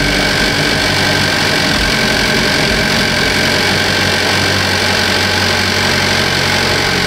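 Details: 2015 Cadillac ATS Luxury 2.5L RWD, junkyard used engine freshly swapped in, warming up at idle with AC compressor on: loud steady idle with fine even ticking on top, no knocks or misses; only normal injector tick, runs smooth.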